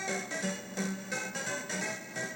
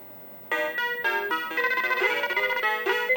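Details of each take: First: Mappy arcade PCB: game tune smeared with hissy bursts and wrong notes after warming up, sounding fine when first powered on; temperature-related fault later traced to sound RAM. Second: Mappy arcade PCB after fitting a new RAM chip in position 3K: crisp, clean in-tune game melody in two bursts with no garbling; sound fixed.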